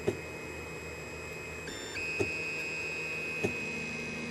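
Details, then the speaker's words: 3D printer bed calibration: sharp extruder clicks over stepper whine as the nozzle sits too close to the bed and squashes the line; backing the nozzle off a few steps stops the clicking. "should start really squashing it now you can hear it clicking so it shows it's a little bit tight"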